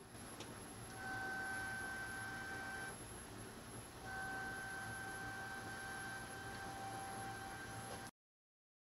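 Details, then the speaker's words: MPT-7210A solar charge controller cooling fan pushed up against the faceplate: thin steady high whine appears twice over soft fan hiss, caused by the metal fan grille in the case rather than the fan itself. "i always suspected with this case it isn't the fan that's noisy it's this design of the case and what happens is this metal piece here which is supposed to be a fan grill that really shouldn't be there"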